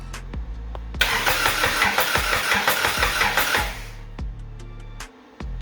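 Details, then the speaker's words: Even, strong cranking at roughly three beats a second with no fuel yet on a Lotus-engine-swapped Toyota Hilux, first spin-over after wiring; the engine turns over healthily. "Sounds healthy. Now let's get some fuel to it."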